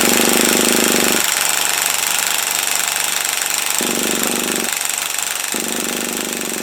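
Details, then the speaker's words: HotBodies 3.5 nitro engine fitted in an HPI Savage RC truck, pull-start string had snapped before: buzzy starter cranking in two bursts with a few weak pops, firing but not enough; never catches and runs. "it's trying can you hear it it is firing just not enough yet"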